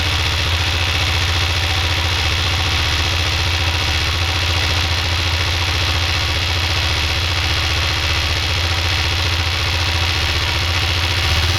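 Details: Yamaha XT660 single idling very cold: steady busy mechanical whir and rapid patter over firing for about 40 seconds; owner suspects oil-pump noise, unconfirmed.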